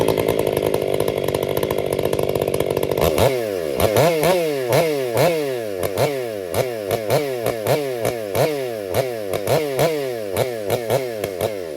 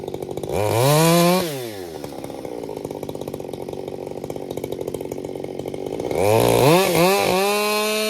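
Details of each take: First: Krafterized Husqvarna 562XP Mark II ported chainsaw, warmed up, bucking oak: screaming top revs then a choppy flutter of quick rpm dips several times a second, bouncing off the rev limiter, not four-stroking. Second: Krafterized Husqvarna 562XP Mark II chainsaw bucking oak firewood: screams to full throttle, pulls down to a steady lower note in the cut, then clears cleanly with no four-stroking burble; running normally under load.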